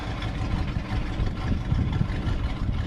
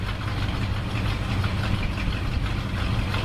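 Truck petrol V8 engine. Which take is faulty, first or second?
first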